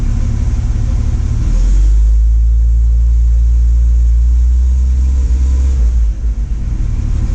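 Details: Warm engine idling after timing reset to 4° BTDC, vacuum 18: steady smooth low idle with no tapping or knock; previously knocking, coolant found in oil.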